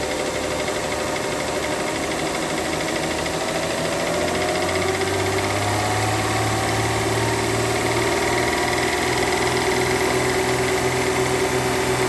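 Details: Mercedes W211 2009 3.5 engine at idle: an uneven knock of roughly two a second under a steady hum; engine knock, cause not pinned down.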